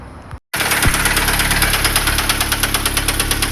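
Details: Chevrolet Astra 1.8 started on a weak battery with the oil warning light on: a sharp, heavy knock about three times a second over a rough idle.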